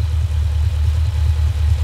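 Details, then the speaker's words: Holden HQ V8 after T5 conversion, service and new electronic distributor, while setting ignition timing (around 8 degrees guessed): deep even burble, steady low rumble, no misses, knocks or ticks; idling cleanly. "all right so basically we're just gonna make it match that anyway whatever it is and she's actually running really well at a minute it really is isn't it she's behaving on you"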